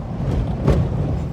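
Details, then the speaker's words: 6.7 diesel truck with steel body at about 179,000 miles, driving over a rough road: steady road rumble with one solid thump over a bump, a clunk from a worn cab mount bushing. "but I did want to see if I could get the cab bushing on video."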